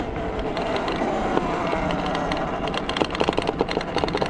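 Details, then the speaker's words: Talaria MX5 electric dirt bike on a mountain trail ride: irregular clattering taps over trail noise; rider suspects the battery rattling loose and plans to fix it. "Yeah, you hear that battery rattling. I'm going to fix that."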